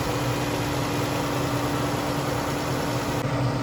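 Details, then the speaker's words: Vehicle with a no-crank, no-start in about -10 cold, fixed by tightening loose battery terminals on a new battery: cranks and settles into an even, steady idle with a constant low hum, no misses or knocks; runs fine after the fix. "And well, let's see if this thing crank up again. We're gonna crank it up. See, it's running. It is running."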